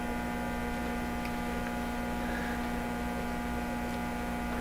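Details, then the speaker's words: Hallicrafters TW2000 World Wide tube radio under repair on bench power supplies, listening at output tube plate: steady low buzzy drone unchanged throughout; mains hum present because the grid is humming, source not confirmed. "so there's a little hum there, but of course it's humming because the grid is humming. I mean, it's all humming."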